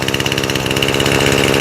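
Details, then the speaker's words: Echo SRM 225 trimmer after carburetor rebuild, choke off after first run: starts right up, fast, even buzzing idle with a steady rapid beat, running cleanly but idling a touch high. "She starts right up. Let's turn off the mute. There you go. Now you can hear her. She sounds nice and steady. Idling just a touch"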